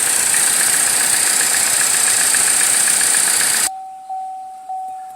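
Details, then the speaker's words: 2014 Chevrolet Cruze LTZ at idle: loud steady hiss with a sharp high whistle from the top of the engine, then it cuts off; vacuum leak at the valve cover PCV valve, with misfires; fixed by replacing the damaged valve cover. "trae como un silbido en la parte de arriba del motor"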